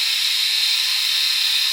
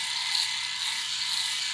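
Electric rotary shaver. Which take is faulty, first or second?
first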